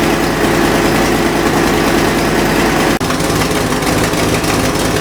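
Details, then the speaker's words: Fox Body V8 after new valve seals, idling cold with an X-pipe that won't seal at the passenger-side header. A fast, uneven ticking puff rides over the burble, an exhaust header leak. "Well, couldn't get the X-pipe to stop leaking on that passenger side header, so I got my dad's old H-pipe."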